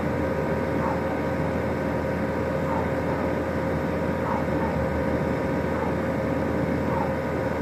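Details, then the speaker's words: New 2018 Rheem Classic 14 SEER central air conditioner on its first startup: a steady, even hum with a smooth fan whoosh and no rattles, grinding or squeals. Normal running. "you know what actually has the best startup I've ever heard Wow the that's it yep sounded really nice"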